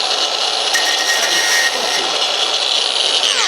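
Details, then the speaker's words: Cordless tool during a GSXR track bike subframe build: steady high-pitched whirr that winds down and cuts out near the end, as if losing power. User thinks the battery just died; not confirmed. "think battery just died."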